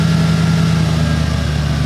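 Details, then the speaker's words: 1990 Ford F150 Lariat 4WD, 351 Windsor V8, after replacing one ECM capacitor (fix for high 900–2000 rpm hunting idle and hard shifts): idle still a little sluggish coming down but drops to 900 then 850 rpm, steady even rumble, no hunting; normal idle. "so still a little sluggish but it's coming down before it would just basically never come down so back down to 900 and right back to 850 and very very stable"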